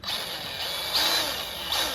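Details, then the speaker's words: DeWalt grease gun greasing a mini JCB 403 Plus: high, thin motor whine with no change under load, a flat drone rather than pulsing pushes, as when it runs out of grease; flat motor note. "Yeah, so it's just a flat noise rather than a zoom, zoom, I'm zoom."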